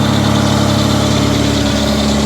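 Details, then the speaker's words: Mitsubishi Diamante at about 230,000 miles, just after its first tune-up and intake cleaning with carb cleaner, smoking from the cleaner: steady, even idle with a smooth unbroken hum and no miss; an exhaust leak is present, but the engine is running cleanly. "oh listen to that that is pure sexiness right there listen to her purr"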